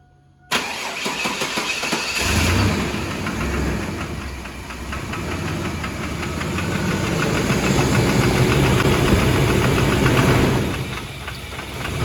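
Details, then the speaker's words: Chevrolet S10 crew cab with 4.3 V6 at idle, before teardown: a light steady tick of about three per second. About a quart of thick Lucas oil quieted it but did not stop it. Owners suspect lifter tick, not confirmed. "And the worst thing about it is it's got an engine tick, and that's got to go."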